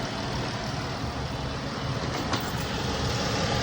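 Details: 2012 Dodge Charger 3.6 engine idling lumpy and irregular with a recurring dropped pulse; cylinder 2 (bank 2) misfire persisting after new ignition coils and connector pigtail, caused by burned intake valve.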